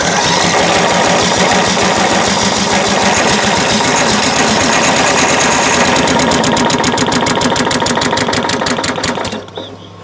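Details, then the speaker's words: Craftsman LT1000 riding mower, crank no start. Spark plug looks good; with carb cleaner sprayed in, it fires with quick, even chatter for about nine seconds, then dies. Owner suspects the carburetor fuel solenoid and plans to check it gets power. "it really sounds like it wants to run i don't know if you heard that but it did fire very briefly but it fired"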